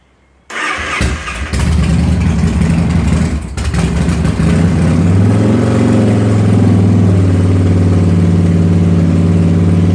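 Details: Motorcycle after a cold start, with the throttle being worked: it catches, stumbles and surges roughly for a few seconds, then passes the rough spot and settles into a steady idle and runs fine. Rough cold idle; cause not confirmed.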